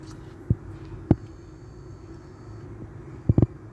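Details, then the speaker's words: Toyota Prius 1800 cc hybrid after replacing the brake master cylinder (pressure sensor code C1246) and bleeding brakes: quiet low hum with a few brief ABS motor clicks, no continuous pump run, pedal no longer returning; normal ABS brake actuator operation. "ठीक सिर्फ ABS motor की शायद आ रही हो आवाज आपको सुनाई दे रही हो"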